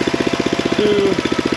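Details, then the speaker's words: Lumpy single-cylinder idle chugging about fourteen times a second; gummed carburetor pulling too much fuel through the jet, running rich; replacement carburetor ordered. "pulling too much fuel up through the tube, through the jet. But whatever, I can get it to idle, and that's enough"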